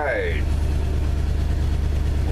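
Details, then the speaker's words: 1974 Ford F250 flatbed, first cold start of the year, in neutral: steady low idle with a high chirping squeal coming and going, a slipping drive belt. "happy to see that it fired up oh you can't see me well that's not important but hopefully you can hear that engine and that belt is squealing"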